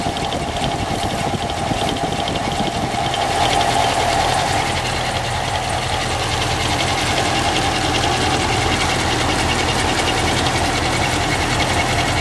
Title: engine noise